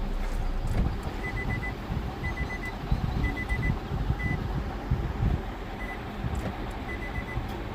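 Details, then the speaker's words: 2016 Nissan Altima after repair of ECM wiring (pin 109 fault) that caused key light on, no crank, no start: engine now starts and runs smoothly and steadily under a repeating dashboard chime, no misfire; normal running. "Repair कर दिया इसका wiring. गाड़ी बिल्कुल सही start है।"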